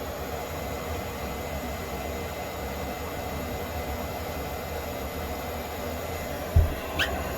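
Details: Propex Heatsource HS2000/HS2800 LPG motorhome heater after cleaning and service, previously would try to start then cut out: steady even rushing roar from burner and fan, no flutter, popping or surging; running normally, outlet over 100 degrees.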